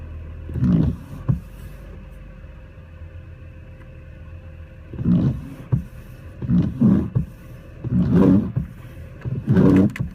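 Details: BMW with carbon buildup on the throttle actuator, a cylinder 4 misfire code and a low-airflow code, tested with the AC switched on: the idle surges and sags in uneven swells under a second apart and shakes, unable to hold rpm.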